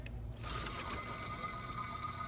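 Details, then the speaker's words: Removed Subaru alternator spun by hand, hot after driving: dry scratchy whir with a thin whistle; it still charged but squealed badly in the mornings, so it was replaced. "so it was this one was still working i'm still charging but uh with that sound it just squealed and it made horrible sounds in the morning"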